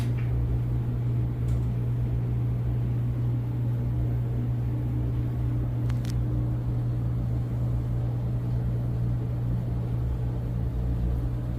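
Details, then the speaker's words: Whirlpool WED92HEFC2 dryer after new belt and drum rollers, motor previously loud and thought near end of life; smooth, steady low hum with no rattle, squeal or buzz; very quiet, normal running. "It's very quiet and smooth. Very quiet. Very smooth."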